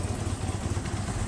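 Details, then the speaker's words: VW Jetta with EPC light on and unstable idle surging (codes P1579, P1545, P1558; throttle not aligned, basic setting not carried out): engine starts but idles lumpy and misfiring with irregular thumps, vibrating badly; rough idle from faulty throttle body. "You can hear it. She's up, but she's misfiring. We have the EPC light on."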